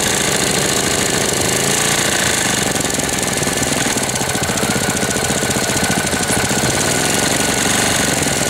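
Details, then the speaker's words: 1998 Briggs & Stratton 60 Intek Edge 6 hp, cold, first start after long storage with fresh oil, air filter removed: harsh rapid hammering knock unchanged when throttled, sounds like it will seize despite correct oil level; cause unclear. "Bizarre le bruit qu'il fait. On dirait qu'il va serrer."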